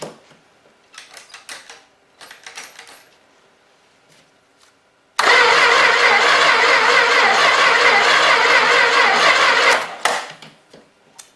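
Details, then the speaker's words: Long-sitting 318 engine primed with gas, starter wire jumped directly to the battery: quiet clicks, then it catches and roars for about four seconds before dying. It fires but won't stay running. "well we got it to fire see if we can dump a little more gas in it can actually keep it running"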